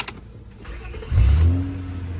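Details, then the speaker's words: 1999 Honda Accord 3.0 after starter replacement for an intermittent no-start: a short crank, then the engine catches right away and settles into a steady idle. A clean, strong start. "oo starts up right away really strong too a lot better"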